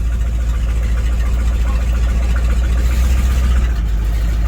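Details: 1982 Chevy square body ambulance idling after being started and driven around: a deep, steady low rumble with no knocks or ticks. Oil pressure is good, temperature normal and it is charging. The idle is healthy.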